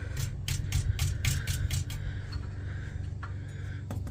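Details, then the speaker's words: Infiniti FX37/QX70 exhaust Y-pipe struck by hand underneath the car: quick metallic rattles about four a second over a low hum, louder than at the primary cats; the pipe is tight, so something loose or damaged inside the Y-pipe is suspected. "it makes a a lot more noise and I don't know why like this is tight usually these get loose and make noise but this is for sure making noise right here"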